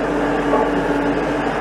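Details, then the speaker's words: LS MT573 tractor at about 100 hours, heard inside the cab: steady mid-pitched whine over cab rumble at constant pitch, in the steering, present from new, inaudible outside; owner suspects just hydraulic pump noise. "There is a hydraulic whine in this tractor and has been from the beginning. Now, I have listened to other MT573s that have the same identical whine."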